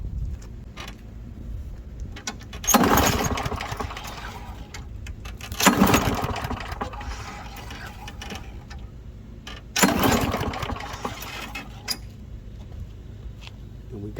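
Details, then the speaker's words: Lawn mower, after carburetor removal and reinstall with the gasket and fresh gas: three rope pulls give short cranking bursts that die without catching. Owner thinks it wasn't primed enough times; no start after pull. "got nothing. So, hold on. I got it. I didn't prime it enough times."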